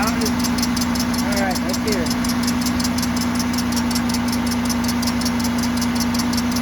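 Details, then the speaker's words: 2007 Cadillac DTS at idle: quick repeating chirp about three a second over steady hum; confirmed power steering pump, suspected metal piece stuck inside from its rebuild, pump to be replaced. "sounds like when they rebuilt the pump there's a piece of uh metal stuck in it and uh that's what's causing the noise"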